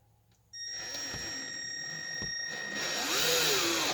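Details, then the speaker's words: Cordless drill driving screws into wood for attic hatch brackets on the spare battery: a steady whir whose pitch sags and recovers as the screw bites, the motor bogging down on a weak battery that was then changed. "Did you hear the drill slow down? That thing bit good. That or my battery's going kaput."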